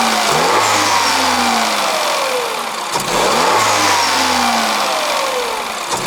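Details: 2021 Peugeot 3008 Allure, 1.6 THP EP6CDT turbo petrol, 6-speed automatic, stationary: two crisp throttle blips, revs climbing quickly and falling back smoothly to idle, clean and even, no rattles; normal free revving.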